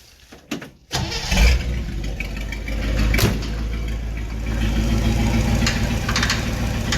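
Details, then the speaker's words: 1960 Chevy Brookwood wagon, sat 20+ years, rebuilt carb and new points; pushrods not oiling except the rear one. Catches and idles with a deep, uneven bottom-end knock, three or four a second; removing the fan belt didn't quiet it. "um definitely something in the bottom end"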